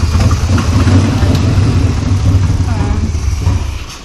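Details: 1987 Chevy V10 pickup with a rebuilt TBI throttle body, new fuel tank and pump, idling after the restart: a deep, even low rumble with no misses or knocks. Smooth, healthy idle.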